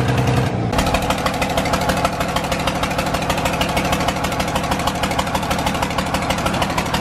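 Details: John Deere 4040 diesel tractor just revived after sitting for years: lumpy, uneven idle of about three pulses a second with one cylinder not firing, and fuel was pouring out.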